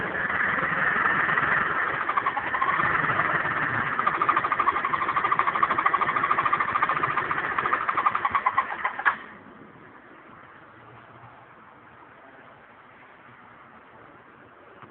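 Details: GY6 152QMI scooter engine, warm: small single idling with quick, uneven tapping about three per second before shutting off; noise only occurs when warm, cause unknown.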